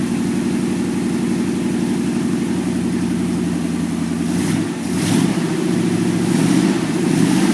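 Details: Freshly rebuilt 1949 Cadillac 331 V8 in a 1932 Ford roadster, first start after changing a couple of plug wires: steady even idle with smooth low rumble and a small throttle blip, no knocks or ticks; normal idle.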